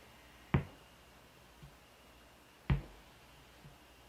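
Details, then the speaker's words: ADA MP2 preamp after replacing R913 to fix a loud hum: at idle with the noise gate off only a faint, even hiss remains, likely from old capacitors, with two sharp clicks. "Yeah, I don't hear that buzzing. Let's edit or take the noise gate off. Okay. So no more loud humming sound. Just sort of a hiss."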